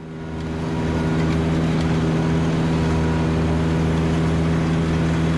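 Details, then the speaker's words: Ventrac Tough Cut mower bogged in briar thicket: steady heavy engine drone staying loaded down as the belt-driven PTO belt slips and burns; heat will stretch the belt. "now i said it was a learning curve and you can hear me burning up the belt on this thing this is a belt driven pto when you get stuck instead of breaking something it just slips that belt but it'll burn it up"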